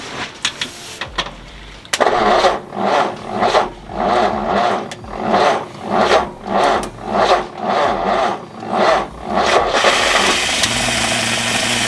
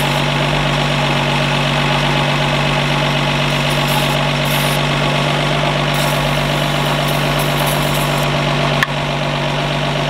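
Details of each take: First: 1952 Ford F1 truck brought back to life, old fuel judged trash: starter churns in slow even pulses near 100 a minute, then catches and runs only on non-ethanol gas squirted into the carburetor. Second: 1952 Ford F1 truck just revived, solenoid jumped, positive ground, generator suspected not charging: steady even idle with smooth low drone, no knocks or misses, running cleanly.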